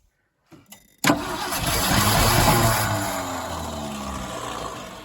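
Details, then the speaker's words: 1975 Ford F250, FE 390 V8, 4-speed 4x4, cold start after 30 years, recently unstuck, mismatched spark plugs: cranks, catches with a rough roar for a few seconds, then sags and dies; not getting enough gas, fuel starvation. "You just ain't getting enough gas."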